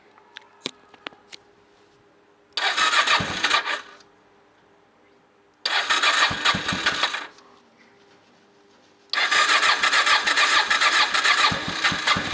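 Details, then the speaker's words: Honda motorcycle after 2.5 months standing in November, battery at 11.7 V, on choke: two short cranking bursts die, third catches into steady even running; undercharged battery was the cause, normal start. "As you can see, it really was an insufficiently charged battery. Let's let the engine warm up a little on the choke, evaporate all the condensation from the mufflers"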